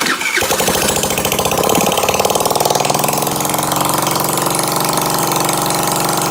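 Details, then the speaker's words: Dirt bike running with the muffler removed: small single fires up and runs with a loud, raw, rasping bark at fast idle; unmuffled exhaust. "since we have the muffler off why don't we started see what it sounds like"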